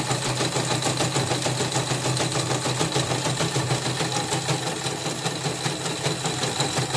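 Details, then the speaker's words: CNY portable embroidery machine after disassembly and smoothing, even with a borrowed new part; fast steady mechanical clatter with gritty harsh edge on every stitch; worn, gouged bobbin case and hook. "nanti saya cek lagi suaranya kasar. Ini saya pinjam sepatu yang baru, masih kasar juga. Memang sepatunya memang udah oblak"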